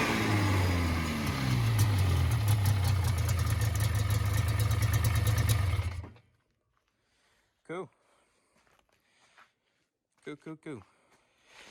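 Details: 1980 Yamaha SS440 Exciter snowmobile two-stroke, revived after sitting about 20 years, fuel primed after a cracked fuel line, throttle still a little sticky; it revs and runs steadily for about six seconds with a crisp exhaust beat, then shuts off, sounding healthy.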